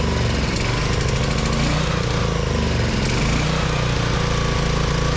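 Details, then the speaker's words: Vintage Onan Pro6000E generator, 12.5HP Elite 140 OHV engine, long-sitting, fuel system cleaned, still producing zero volts at outlets; steady even low drone, no misses, knocks or surging; normal running. "All right, got a good running. All right, we got a good running motor."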